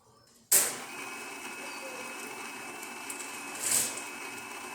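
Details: Babilia espresso machine after a full service and tune-up, during the final test shot: sharp start, then a steady even whir with a faint high whine and no knocking; brewing normally, though the water filter may cause a priming message issue.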